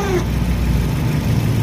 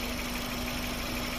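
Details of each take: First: Engine idling with worn old Mitsuba radiator fan motor, stiff and rough to turn by hand; loud rough whirring roar over idle for two seconds then cuts to quieter hum; fan motor causing engine-bay noise, later replaced. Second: Engine idling after replacing the stiff, rough old Mitsuba radiator fan motor; smooth steady hum with airy fan rush, no rattle or scrape; engine quiet again, normal idle.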